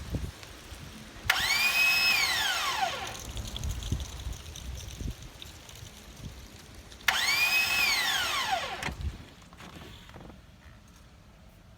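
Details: 2000 Chevy Monte Carlo 3.8 engine that started after gasket work, died after 20 seconds, now won't crank despite replaced starter: two key tries, each a high whine swooping up then fading with no cranking beats; owner fears seized engine.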